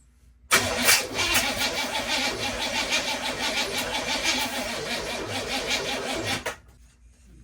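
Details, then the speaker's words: 1981 Oldsmobile Cutlass cranks sluggishly about three turns a second for six seconds without firing, despite charged battery and cleaned terminals; owner suspects the starter and plans to replace it. "I went ahead and cleaned up all the battery terminals and all that stuff and this thing still does not want to crank and this battery is fine so as much as I don't want to I think we're calling under there and put another starter on it"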